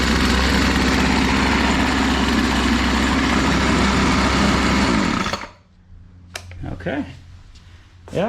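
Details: Garage-sale BC 2500 LE two-stroke weed eater after fixing loose head (lost compression) and kinked primer line, choke on: steady, even buzz for five seconds before cutting off, no stumbling or surging; normal idle.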